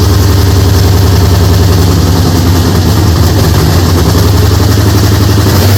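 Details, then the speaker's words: Holden HZ with LS V8 swap, first start-up: loud, lumpy idle with uneven stumbling beat; one cylinder definitely not working, a misfire. "this one is only sitting on it's not sping is it 33 one's definitely not working 33 that one there mate so that's that one there definitely not working"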